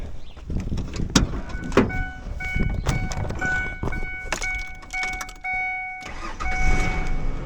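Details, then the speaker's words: 2001 Ford Ranger after fuel pump replacement, started on jump pack: several seconds of cranking with clunks and faint whir, then catches and runs steadily with a rev; normal start. "Oh, fuck yeah, bud. She's fucking running."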